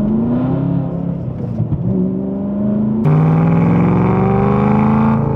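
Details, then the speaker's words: 2008 BMW E92 M3 V8 heard from inside the cabin while driving, old rusted straight-piped exhaust: very loud raw unmuffled drone climbing with revs, drowning out the driver; to be replaced by a valved exhaust. "or is this just how they all sound if they're straight piped yeah I can't really hear anything when I'm in here it's freaking"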